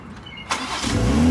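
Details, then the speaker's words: Wrecked 2020 Toyota Supra after the blown pyro fuse piece was hammered back in: brief crank, catches within half a second and settles into a smooth, steady idle. Normal start. "Like nothing ever happened, man. Like nothing ever happened. Runs like a dream."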